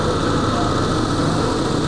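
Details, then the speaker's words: 2019 Suzuki Every (Hijet) idle after tune-up for misfire and vibration (new spark plugs, coils checked, air filter, throttle body and injectors cleaned, engine mounts replaced): smooth even idle without stumbles, no missing, RPM correct. "बिल्कुल perfect है। अब इसके अंदर कोई भी missing नहीं है। बिल्कुल ठीक है।"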